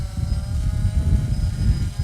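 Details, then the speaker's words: Smaller quadcopter with NAZA Lite flight controller: even rotor sound, faint steady motor hum over low rumble, no surging or stutter; stable, smooth hover. "you can see smooth no issues it hangs here by itself it's very smooth"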